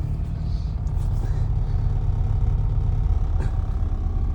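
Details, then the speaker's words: 1987-era Austin Mini Advantage with 998cc engine, fully warm after a short drive, purring at idle with a low, steady, even rumble and no knocks or misses; normal warm idle. "Absolutely perfect, up to temperature. And listen to it purring away."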